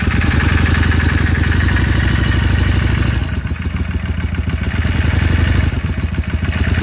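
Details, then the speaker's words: Yamaha Drag Star XVS650 at idle: loose uneven mechanical clatter over lumpy V-twin idle, dipping and swelling slightly; source of rattle unknown. "Vou tentar gravar o barulho dessa Dagstar 680 para ver se eu consigo alguém para me ajudar com o diagnóstico."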